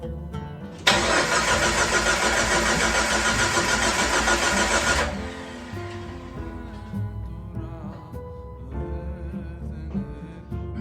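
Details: Jeep 4.0 after overhaul, cam position sensor retimed: starter spins at an even beat about four seconds, never fires; no-start from an open circuit in crank sensor wiring.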